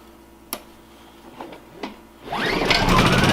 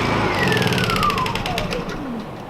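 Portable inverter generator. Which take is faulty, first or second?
second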